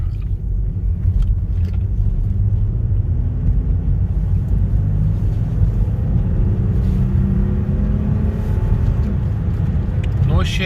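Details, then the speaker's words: Mercedes GLK350 3.5L V6 (M272), about 180,000 miles, on the road after replacing the original spark plugs that had caused shaking: steady low rumble pulling along with no stumbles or jerks; misfire fixed, smooth. "so right now it's a 180 and it's just performing excellent noise shaking smooth again"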